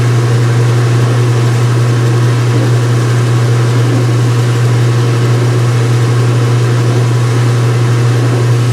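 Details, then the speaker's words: Speed Queen washer, front panels off, white bed sheets, on wattmeter: high-speed spin settling around 500 watts, steady even low hum with soft whoosh, no knocking, banging or wobble; normal. "All right, guys, and this is what this looks like at high speed."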